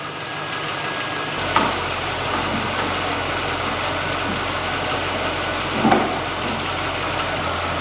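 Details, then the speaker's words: 2001 C5 Corvette, LS1 V8, first start after sitting for years: after a clunk it settles into a steady, even idle. Slight piston slap at first goes away as the engine warms, leaving a healthy warm-up idle. "Still hear a little bit of piston slap. That'll go away as it gets to the tent. Yeah, that piston slap already went away. It gets warmer. Just gets quieter and quieter."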